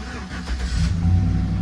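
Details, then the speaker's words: Chevrolet truck left sitting about three days, started with its own battery: short crank, then the engine fires and picks up into an even low rumble; starts right up without hesitation. "I'll be damn it actually started it's been sitting here for probably three days and it started right up wow"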